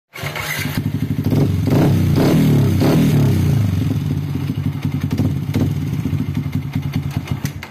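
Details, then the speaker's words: Yamaha Vixion with a new cylinder block whose piston is scored again; engine catches and settles to a rough, clattery idle with an uneven thumping beat, harsh mechanical noise before teardown. "Nah jadi suaranya seperti itu teman-teman timbul suara kasar"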